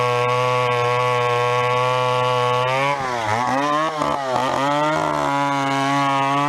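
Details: Vintage chainsaw, unknown when last run, chain a little dull, cutting a 14-inch piece of wood: strong, steady two-stroke buzz that bogs and recovers as it bites in; runs cleanly and pulls well under load.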